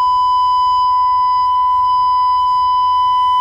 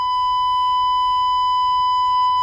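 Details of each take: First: Vintage Jensen V20 compression driver fed a steady ~1 kHz tone: buzz with edgy overtones, diaphragm still rattling after being bumped out of alignment during cleaning. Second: Vintage Jensen V20 upper horn driver after cleaning and resetting the diaphragm: steady pure high tone near 1 kHz with no buzz or rattle, earlier rattle gone; clean test tone.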